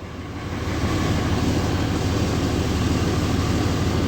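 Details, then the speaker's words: 2003 Dodge RAM 3500 dually diesel, first start after repairs with battery charger removed: settles into an even, strong diesel clatter of about three beats a second, oil pressure up and charging; normal idle. "Oil pressure is up. It's charging. Good. That's a relief. She runs good."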